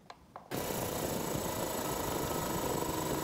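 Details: Cobalt air compressor starting from zero pressure, filling during a fill-time test: kicks on and runs with a steady, fast chatter, no knocking or stalling; pump healthy.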